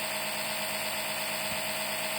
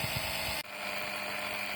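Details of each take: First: Citroën C5 X7 2.0 HDi 138 (DW10) oil change by suction with a LIDL extraction pump: thin, high, airy steady buzz with no deeper sucking note; probe not in oil, pump running dry, not a drop coming. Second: LIDL suction pump draining hot oil from a Citroën C5 X7 2.0 HDi 138 (DW10) after the probe was pushed further in: whine drops sharply to a lower, duller steady tone as hot oil flows; pump working normally.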